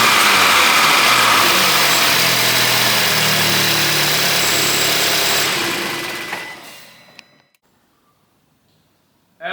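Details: Crash-damaged 2015 VW Golf R, intercooler temporarily tie-wrapped on to check for air leaks before radiator pack fitted: engine settles into even, steady idle with no knocks or misses for about six seconds before shutoff; sounds healthy.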